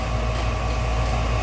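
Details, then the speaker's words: Furnace inducer motor, previously screaming, in a dusty basement: smooth, steady low hum with even tone, no scream or rattle; inducer running quietly and healthy. "this thing doesn't sound like a tank anymore but you can pretty much tell the sound difference instantly"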